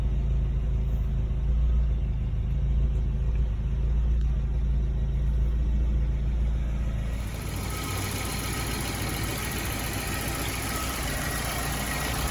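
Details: 1975 Volvo 242 with swapped 1984 B23 redblock, just after replacing all four accessory belts (alternator/water pump, York AC, Saginaw power steering): steady low rumble, even beat, no squeal or chirp from the front; healthy smooth idle.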